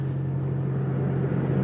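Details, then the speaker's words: Toyota Aqua hybrid heater blower after removing the squealing motor, impeller slightly damaged but not rubbing, at minus 22 °C outside; steady even hum with no squeal; normal heater blower fan. "никакого свиста ничего нету хотя там конечно крыльчатку попортил немного вот но ничто нигде не задевает все четко все работает"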